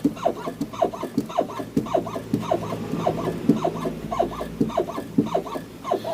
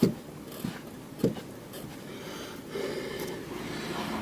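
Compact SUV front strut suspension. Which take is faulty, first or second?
first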